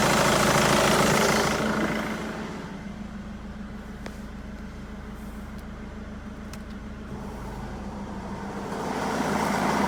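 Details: Jaguar X-Type 2.2 diesel (QJBA, 155 hp, 2005–2010) idling with A/C on: even, fairly quick pulsing beat that comes and goes in loudness; engine noise when A/C on, cause unconfirmed.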